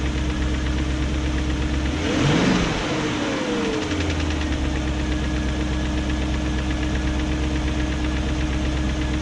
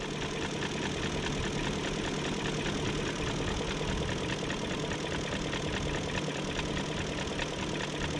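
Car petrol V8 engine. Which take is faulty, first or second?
first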